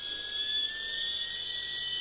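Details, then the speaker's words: Holmes Hobbies Revolver 1400kV brushless outrunner on Castle Sidewinder 4 for MC8 8x8 truck, hand-held test, no load: steady high-pitched whine at one pitch, no roughness or ticking; healthy. "So really, it's not staggeringly loud. It's got a high-pitched noise, but it's not. I don't think that's much louder than a brush motor going"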